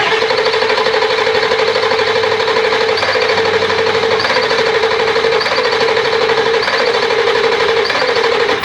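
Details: 1999 Ford F250 7.3L Powerstroke that ran completely out of diesel: a steady starter whir cranks on without firing. Fuel pressure reads about 50–52 psi, a little high. Air in the lines suspected, and possibly a failing low-side fuel pump.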